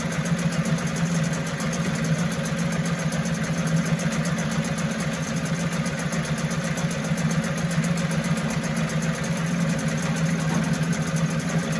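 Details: 1974 Mercury 4 hp single-cylinder two-stroke outboard, made in USA, revived after long storage: steady, even buzzing run with no misses, knocks or rattles; healthy, sweet easy-starting machine, normal running.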